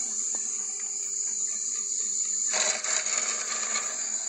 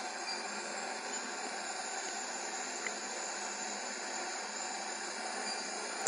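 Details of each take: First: Worcester GB162 100 kW commercial gas boiler in service mode: steady high whine, then a harsh, uneven rattle builds halfway through from the fan; fan suspected, possibly the gas valve, not confirmed; fan rattle. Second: Worcester GB162 commercial gas boiler on service, after gas valve adjustment, switched to high fire: steady even burner roar and fan hiss with no pulsing or rumble; flue readings good, CO2 fine, CO under 100 ppm.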